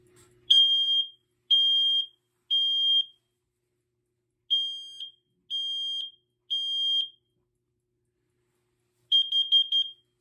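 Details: BRK/First Alert smoke alarm (SC9120B smoke/CO or 7010B photoelectric) tested on AC mains power: loud shrill beeps in groups of three, about half a second each, clean and steady; alarm working normally.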